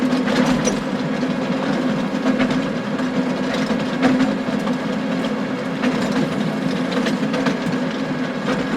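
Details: John Deere 6920 tractor with a power harrow bogging down in very wet, stony ground: irregular sharp clacks and bangs over a steady working drone as stones strike the harrow tines, which earlier stones had broken.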